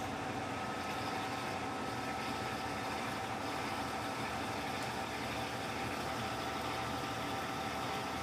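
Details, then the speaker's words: Electrolux LTC15 top-load washer on the stain-removal program washing sneakers, final spin after the tennis shoe knocked the basket; steady even whirring hum at constant pitch, no knocking, scraping or wobble: normal spin cycle. "Deixa ela ir direto. Agora eu vou deixar ela centrifugar normal."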